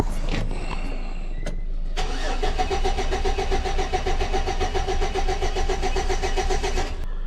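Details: 2006 Chevy Silverado with distributor, distributor, cap, plugs and wires all replaced; starter cranks at an even rhythm about five seconds without firing; crank no start with no spark, no coil control, ignition module suspected.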